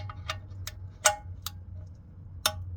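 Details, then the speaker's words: Torque wrench tightening the sump plug with a new crush washer to 35 Nm on a KIA Sportage 1.6 petrol T-GDI during an oil change; sharp irregular metallic clicks over a quiet low hum as the wrench breaks over at set torque. "So we're going to tighten the sump plug down to 35 Newton meters in this cart. It'll click. Listen for the click."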